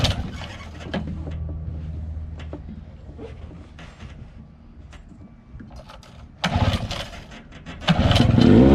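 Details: 1979 Johnson 15hp two-stroke outboard, cold start after sitting 2+ months, after replacing a few lines so it no longer sucks air: a few pulls and sputters, then fires and settles into a steady crisp run without coughing; normal running.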